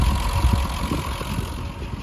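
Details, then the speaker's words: 50-year-old Triumph 2500S six-cylinder petrol, stored over two years, under-bonnet listen before first test drive: steady low idle, even beat, no stumble or missing; normal idle. "and here we are so it sounds pretty pretty good to me i can't hear too much chopping"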